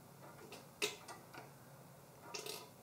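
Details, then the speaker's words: Motorcycle brake bleeding with a 3/8-24 speed bleeder cracked open and hose to a drain pan: a few faint, sharp irregular clicks as the brake pedal is pressed slowly, air purging out the bleeder's one-way check valve; normal. "you hear that noise that right there that's the air purging out that one-way check valve"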